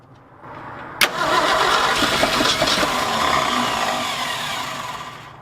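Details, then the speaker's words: 1966 Ford F250 with 352 FE engine, parked since 1992, cold February day, choked, after cleaning corroded points: cranking catches with a bang, runs roughly a few seconds then dies; fuel not reaching the carburetor suspected. "oh he's gonna run he's gonna run so good just gotta figure out getting fuel to the carburetor that's gonna be the next thing"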